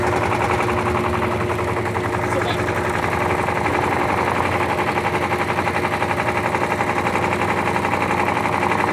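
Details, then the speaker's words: LT13B washing machine in a suspension test, spin cycle: loud rhythmic thumping, about four beats a second; the owner says the load is unbalanced, sitting to one side and dropping hard onto the suspension; tub banging from the unbalanced load. "Tá desbalanceado. Por causa que ela cai muito, mas muito mais na suspensão dela. Muito mesmo."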